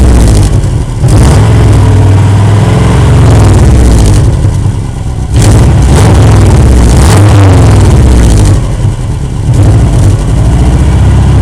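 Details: Exhaust leak at a joint fitted with normal bolts instead of spring bolts and damaged hitting snowbanks: engine revs then drops to a loud rough idle with a rapid puffing tick from underneath, about four a second.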